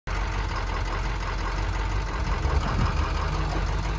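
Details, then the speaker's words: 2007 Ford F-250 6.0 diesel idling: heavy lumpy, uneven rumble and shaking with stumbling beat; cylinder 5 misfire codes, misfire traced to low compression in that cylinder. "el problema de esta es que él la troca está está temblando una botella tenemos tenemos códigos de que el cilindro 5 está fallando"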